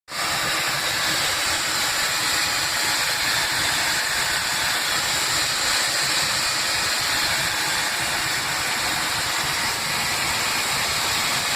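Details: SpiceJet SG475 Delhi–Srinagar flight, 27 June 2017, AC not working: loud continuous high-pitched hiss in the cabin, steady over engine drone, coming from near the front exit door; passenger feared it, cause unconfirmed.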